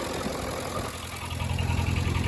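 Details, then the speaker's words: 1963 Case 310F bulldozer diesel idling after cold start and idle brought down: fast loose metallic rattle over the thump from loose sheet-metal plates, otherwise running decent with a little smoke; water pump area leaking. "You'll hear that rattling. It's a bunch of the uh a bunch of the plates there, but running pretty decent."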